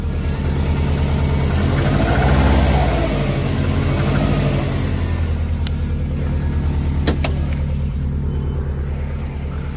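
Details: Subaru EJ205 boxer with a loud steady knock about three per second over a rough low rumble; owner asks whether piston slap or damaged crankshaft bearings, cause unknown.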